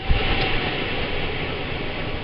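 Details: Robinson CR9SS range hood fan after cleaning grease from the fan shroud with turpentine; steady, even rushing airflow with no ticking, scraping or rattling. Earlier twig-in-a-fan noise is gone, totally quiet; filters still not fully clean.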